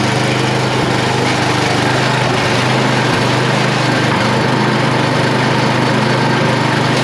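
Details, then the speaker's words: Yard Machine (MTD) snow blower with a Tecumseh 8HP engine, started cold on the first pull, run outdoors at steady high throttle despite a gaping vacuum leak; a strong, even single-cylinder beat with no misses or surging, running clean and healthy. "it started so strong it started first pull it kicked right"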